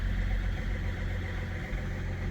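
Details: BMW E61 diesel that would not start after two months sitting with dead battery, fault 4A63 EWS tampering cleared via diagnostic tool: now started, steady low diesel idle, even and smooth, no knocks or misses; engine sounds healthy.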